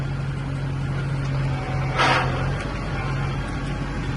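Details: Diesel tractor with a glide shift transmission at low idle, shifted from neutral into reverse (fifth gear) without the clutch: a brief hissing surge as it engages. This is normal hydraulic fluid actuating the clutch packs.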